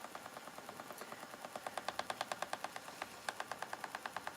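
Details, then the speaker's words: Spinning wheel with a new bobbin, spinning lace-weight Shetland wool. Sharp, regular clicks about three per second over a quiet motor hum, steady with the wheel's turning; the spinner is unsure of the cause and suspects the speed. "And a bit of clacking going on. Got these a new bobbin on this wheel, and it's making like a noise. Not quite sure why."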